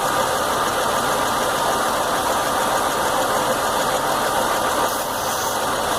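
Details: Chevy Venture, normally smooth, now has a rough idle with no check-engine light or codes and runs fine off idle: steady drone with a faint uneven lumpiness as if wanting to stall, during a fuel pressure regulator test; cause not pinned down.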